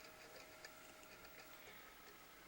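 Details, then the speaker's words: Original Xbox debug kit (DVT-4, revision 1.0 motherboard) with Thomson DVD drive trying to read a retail game disc via a retail loader; faint repeated ticking as the drive keeps seeking and never reads; owner suspects the drive, not confirmed. "yeah it sounds like that thompson dvd drive might be having some problems reading the original game disc"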